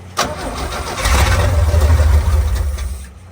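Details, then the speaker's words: 1966 Chevrolet C10, carbureted: starter cranks steadily at about three turns a second but the engine never catches, with no fuel reaching the filter. A faulty fuel line from the frame line up to the pump needs replacing. "Yeah, it's sucking fuel, that's for damn sure. We need a new fuel line."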